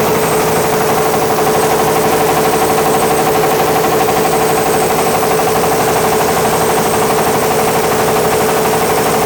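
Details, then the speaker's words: Caterpillar D8H cable dozer, first start after sitting 15-plus years: big diesel roars flat out without easing, steady high turbo whistle over it; stuck at full throttle because the fuel isn't cutting off, oil pressure pegged. "Yeah, the turbo works. Holy cow. Hey, you really hear that whining."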